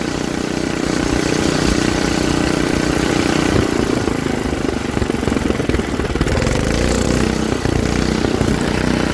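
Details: Troy-Bilt rear-tine rototiller engine after magneto cleaning restored missing spark and carburetor cleaning, during carb adjustment: single-cylinder holds a steady, even chug with no misses or stumbles throughout; tiller runs normally.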